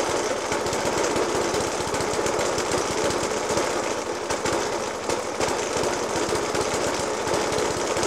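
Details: Suffolk Punch 30S mower (circa 1991) small petrol engine with Dell'Orto FCH 20 carb, rough idle with fast heavy uneven banging despite new spark plug, decoke and carb clean: rough idle with heavy banging.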